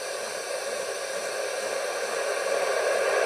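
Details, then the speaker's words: Homebuilt two-valve super-regenerative VHF receiver (120–160 MHz), tuned around 134.750 MHz and heard through a scanner while marking the dial. A steady hiss swells slightly toward the end: the normal rushing sound of the super-regen. "now all we do is we go up in frequency until we hear the rushing sound of the super regen"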